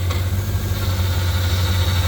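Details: Corvette at nearly 200k miles with power steering leak history, O-ring replaced, fluid low, wheel turned to full lock both ways at idle: steady low hum, no whine or groan; pump sounds healthy, no leak seen.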